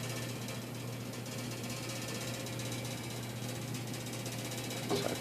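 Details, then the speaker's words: Fast steady rattle over a low hum from a loose line running up the mechanism; rattles when taken off, stops when tension is applied with a broomstick as a temporary fix. "making noises this line going all the way up there and uh i don't know it's loose whenever i take this off i just keep rattling for some reason"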